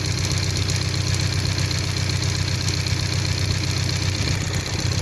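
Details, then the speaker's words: 1998 Toyota 4Runner four-cylinder with waste-spark ignition, idling with an uneven, stumbling low pulse: a misfire with no fault codes, found on a scope to be a spark plug wire arcing to the spark plug tube. "that is basically arking on the spark plug tubes inside the where the spark plugs are so that's what happen"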